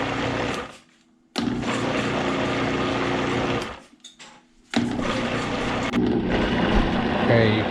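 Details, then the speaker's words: Vitamix 5200 blender after drive socket replacement, about a cup of water, on low speed: even motor whir that stops and starts cleanly, no grinding or rattle; running normally. "turn this on low and see if it works [Music] it's working"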